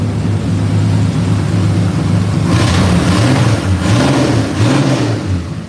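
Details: 4.3 V6 truck running with no exhaust fitted: harsh, loud low rumble barking from the manifolds, swelling with revs; with exhaust on it ran quiet as a sewing machine; alternator belt noted too loose.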